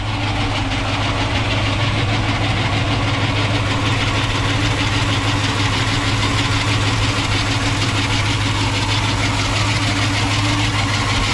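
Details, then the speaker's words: 1968 Ford Mustang V8, idling after start: steady idle with uneven loose whirring and fluttering from the front drive; visibly moving, worn alternator pulley needs replacing. "sounds good but like I said it is making a pulley noise and you can see the pulley moving right there that does need to be replaced"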